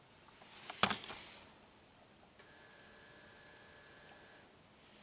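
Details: Faint steady electric hum with a thin whine for about two seconds, then stops: the EVAP leak detection (vacuum) pump activated via bidirectional scan-tool control on a 2010 Toyota Corolla with codes P0441/P0455; pump working properly.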